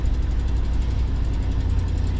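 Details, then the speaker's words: Carbureted big engine, cold start idle: deep steady idle with fast faint puffing tick; passenger-side exhaust manifold leak, new manifold and gasket on hand. "the big engine exhaust leak uh that one exhaust manifold on the passenger side I'll have to get to that job pretty soon"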